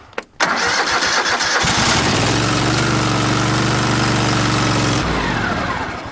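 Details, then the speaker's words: After a few minutes on a jump pack: brief rhythmic cranking, then it catches cleanly and settles into a steady, even idle; a healthy crank and start. "Not bad. It only took a few minutes and got it back to where it would crank, so I guess that's not too bad."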